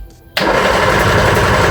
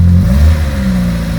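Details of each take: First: Reliant Regal Supervan 3 converted back from electric to petrol engine, start attempts: starter cranks steadily about eight seconds without firing; distributor points corroded, fault ultimately traced to loose terminals on the ignition coil. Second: Reliant Regal Supervan 3, petrol engine refitted after years electric, running cold on choke after fixing dodgy coil connections: short, even rev with no misfire, knock or rattle, pulling cleanly. The carburetor setting is not yet right.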